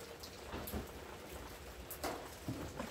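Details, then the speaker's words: Washing machine that won't spin, with only the beater turning and the agitator not: steady hiss of water discharging with an even low hum; normal drain pump operation. "ela tá fazendo barulho normal aqui da bomba de água tá jogando água a gente pode escutar aqui"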